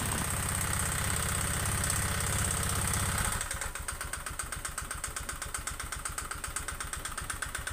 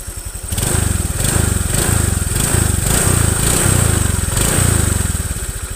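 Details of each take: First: Honda Vario 125 FI scooter before service: rough idle with hard, rapid ticking about four per second over the engine beat and white exhaust smoke; worn, scored piston from late oil changes and dirty throttle body. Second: Honda Vario 125 FI scooter after a full internal engine teardown and cleaning: a smooth, even single-cylinder idle with no rattles, no longer rough as it was before.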